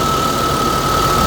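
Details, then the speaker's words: 2013 Toyota Tacoma brought in for a squeal at idle of unknown source (alternator, pulley or water pump suspected): constant high, thin squeal holding one pitch over steady idle. Finding: idler pulley bearing squeal. "I'm sure you guys can hear by now, this customer is getting a squeal at idle. Now they don't know where the squeal is coming from."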